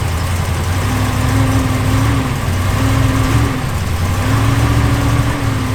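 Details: Dodge Ram 1500 next morning start after throttle body cleaning: revs hunt, lifting and sagging every second or two, won't hold idle. Sensors and air filter addressed; throttle body found to need programming.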